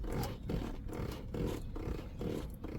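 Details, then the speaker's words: 2016 Mitsubishi Pajero steering: low, groaning creaks repeating about every half second as the wheel turns back and forth, from the rubber joint at the base of the steering column; fixed with grease. "and it sounds like it's coming from right up here but then I found out that in reality it's coming from the base of the strin column down there"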